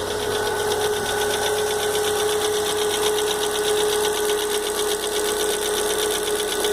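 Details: Fox at idle: steady idle with fast uneven ticking knock about four per second; owner unsure of cause; engine knocking at idle.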